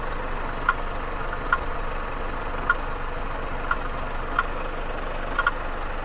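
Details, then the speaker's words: Chevrolet Caprice Classic idling in gear: steady idle with a sharp, slightly irregular click about once a second, like a pulley rattling; source unknown, possibly from the rear; rattle at idle. "now it does make this weird little noise sound like a pulley rattling but I don't know what do you think man it kind of sounds like a pulley rattling"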